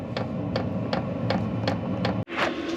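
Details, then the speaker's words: VEVOR 8 kW diesel heater mounted outside a cargo trailer camper, first start with about half a tank of fuel: crisp even ticks about three a second over a low hum; the fuel dosing pump clicking normally. "You can just hear the fuel pump clicking outside, which is nice."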